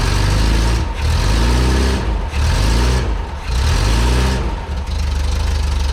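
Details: Bus with rebuilt air-cooled 1.7 flat-four, after replacing starter that dragged on flywheel: fires and idles with throttle pumps surging revs, no starter drag or grinding; runs healthy.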